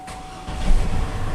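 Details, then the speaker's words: 2003 GMC Envoy XL crank-no-start with codes P1120/P1220/P1523/P1515: silence, then engine catches and settles into a low rumble once the stuck-closed throttle plate is taped open, confirming the throttle body fault needing replacement. "because what happen is this stop off then it not allowed any air to get to the engine to get it start"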